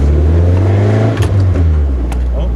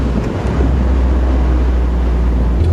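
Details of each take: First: Stock Nissan 240SX (KA engine) cold, revved above about 3000-4000 rpm: revs drop back with sharp single exhaust pops; owner suspects the coolant temp sensor and is replacing it, unconfirmed. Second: Stock Nissan 240SX (KA engine) that popped between shifts when cold above 3,000–4,000 rpm, test-driven after a coolant temperature sensor replacement: it pulls cleanly through rising revs and gear changes with no pops, though one pop is later heard.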